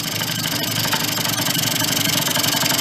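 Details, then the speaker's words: 2004 Yamaha Vino 50cc two-stroke scooter just revived after years in a barn, warming up: fast, buzzy idle with an uneven, hunting beat. The air cleaner is off, giving an unsteady idle. "we don't have the air cleaner on either so that's going to kind of throw it off a little"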